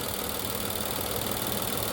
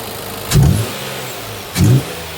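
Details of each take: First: 2020 Infiniti QX60, 95,882 miles, with oil consumption, codes P0300/P0304; steady idle with a rough uneven stumble from a cylinder 4 misfire, a coil first suspected. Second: 2020 Infiniti QX60, 95,882 miles, with prior oil consumption, misfire P0300/P0304 on cylinder 4 after replacing filthy plug: low, smooth idle with two throttle blips settling evenly; all cylinders contributing.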